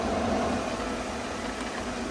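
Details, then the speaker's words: Newly installed variable-speed replacement pool pump, praised as very quiet, with speed stepped down and the display showing RPM and wattage: a soft, steady whoosh that eases slightly as speed drops, with no rattle or whine. Normal running. "Okay, but listen how quiet this pool pump is, guys. That thing is quiet as can be."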